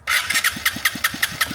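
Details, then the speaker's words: Piaggio Fly 150 3v ie scooter, fully warmed up, stalls and won't restart: starter cranks steadily about five turns a second, no firing; spark, compression, valves fine, injector delivered no fuel when hot; failed fuel injector. "there are some fuel coming out right now but before when the engine was like really warm there are no fuel so I know this fuel injector probably has some issues"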